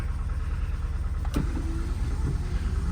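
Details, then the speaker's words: Stock 2.1L VW Vanagon on a cold start: for the first few minutes it knocks, bangs and idles roughly, low and uneven, close to stalling. It seems to run okay once warmed up; cause unknown. "after it warms up seems to run okay boy the first few minutes runs knocks bangs doesn't want to idle very well"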